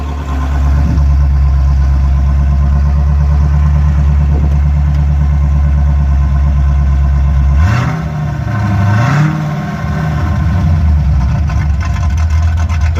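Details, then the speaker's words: Rover SD1 3500SE V8 after gearbox conversion, running without the silencer section fitted: loud, deep burble held steady, then two quick blips rising and falling cleanly; healthy, though fuel was later found dripping from the carburettor. "as you can hear it's running now it's not got that bit on it well that's not a silencer so it's not going to sound much quieter than that yeah it sounds pretty good actually"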